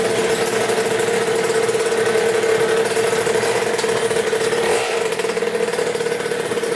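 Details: 2000 Cobra 50cc Racing Mini two-stroke dirt bike after top-end work and new throttle cable, on test ride: crisp, steady high-pitched buzz with no misfires or knocks; clean-running, well-tuned.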